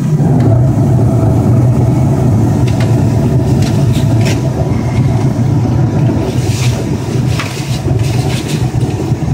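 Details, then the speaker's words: Carrier 58PAV furnace after inducer motor replacement (pressure fault code 31): inducer on, igniter, gas valve clicks, then smooth low roar with steady airflow, no rattles or surging; burners lit cleanly. "Okay, so our inducer came on. Igniter blowing. You're going to hear the gas valve click. There. It clicked. Should have flame."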